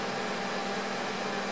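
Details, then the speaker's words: Microwave oven after door switch replacement (previously not turning on, or turning on with door open): even, steady fan-and-magnetron hum, no buzzing or arcing; normal operation. "put a little time on the keypad here turn it on yeah it's working"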